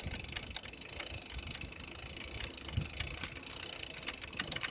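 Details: Quiet coasting with the freehub's fast ratchet clicking and a few duller knocks mixed in; knocking present when freewheeling, source unclear.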